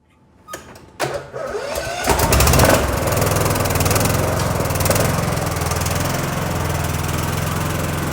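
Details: Cub Cadet LTX1040 lawn tractor, Kohler Courage single-cylinder, after engine fire repair (burnt coil, melted fan, air filter housing, leaking valve cover gasket replaced, carb cleaned of ethanol junk): cranks, catches, then steady even beat with no misses or knocks; runs healthy.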